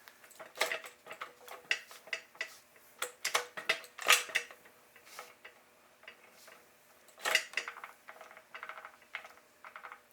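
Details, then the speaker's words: 1976 Triumph Spitfire 1500 gearbox removed from the car and turned by hand: uneven clicks and metallic rattles in first gear, fourth quiet, slight noise in reverse; damaged gear teeth suspected, not confirmed. "first gears got something going on with it"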